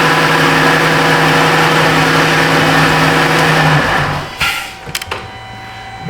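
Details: 2013 Dodge Grand Caravan with a no-crank fault (starter already replaced elsewhere, starter fine) during relay control-circuit testing; steady even engine hum at constant speed for four seconds before shutting off, started and runs smoothly.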